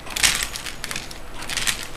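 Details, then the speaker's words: Traxxas Revo RC truck with the gear mesh recently set, rolled by hand with all four tires on the ground: sharp crunching clicks in bursts about every half second from the front. The owner suspects a bad gear in the front drivetrain. "that clicking sound coming from the front somewhere it's coming from up in the front somewhere I'm assuming one of the gears is bad"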